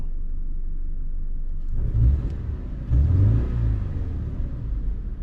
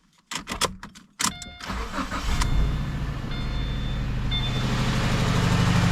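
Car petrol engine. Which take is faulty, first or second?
second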